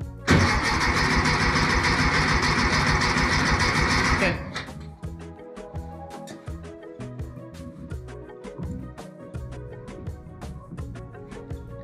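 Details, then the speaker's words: 1964 VW Beetle that sat 8-10 years, trying to start without starting fluid: loud steady cranking with even compression beats for four seconds, never fires; engine not getting fuel, carburetor later cleaned and it ran well. "Yeah, it's just not getting any fuel."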